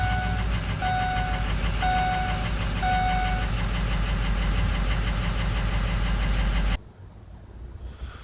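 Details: 2004 Ford 6.0L Powerstroke diesel pickup after repair (injector wiring fixed): even, steady diesel clatter at idle with a chime beeping in background, running smoothly before shut-off.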